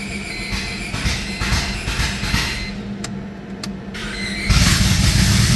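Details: EK Honda Civic with D-series engine on first start attempt, running a stock B16 base map via a conversion ECU: cranks a few seconds, catches and settles into steady even idle without misses or knocks; starts and runs fine.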